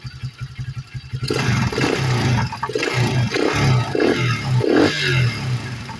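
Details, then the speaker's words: Coleman AT125 Chinese ATV single-cylinder after a tune-up: valves adjusted (0.002 in intake, 0.005 exhaust), with new intake, airbox and carburetor. The starter cranks about a second, then it catches and putters smoothly with no valve ticking. "nice and smooth no noises"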